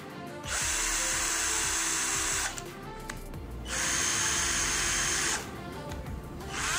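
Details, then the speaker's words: Sunc S12 12 V cordless drill, battery fitted: high whirring in short bursts with a rough, gritty edge. The speed selector catches between gears, causing a rough gear noise. "Ya, nyangkut ya. Nyangkut nih, ada suara nih. Nah, kasar suaranya."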